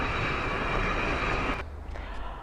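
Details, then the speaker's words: Renault Duster AWD with the wheel spun freely on a lift: steady droning hum with a few fixed tones that fades as the wheel slows. The worn hub bearing is confirmed by play in the hub. "В нашем случае мы на 100% уверены, что гул идет именно от подшипника, так как у него имеется люфт."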